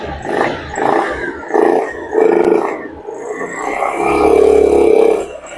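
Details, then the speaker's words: Honda Beat FI scooter engine rebuilt after oil starvation damaged piston and connecting rod; rocker arms refitted correctly (exhaust side with decompression ridge). Crisp throttle blips rise and fall cleanly, no knocking or rattle; engine smooth, pulls well, no noises. "Untuk mesin sudah oke ya, mesin sudah halus, ditarik gasnya juga sudah enak, nggak ada yang berbet nggak apa."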